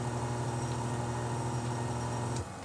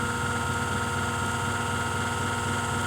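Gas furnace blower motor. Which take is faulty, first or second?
second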